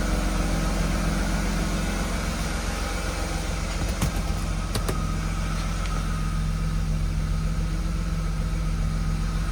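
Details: BMW E36 with M52B25 six-cylinder: smooth even idle, steady low hum, no stumbles, healthy engine.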